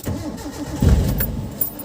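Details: Mitsubishi Lancer with a hard-starting problem, since fixed: long, drawn-out cranking with uneven starter churn and no clean catch before the engine finally stumbles into running.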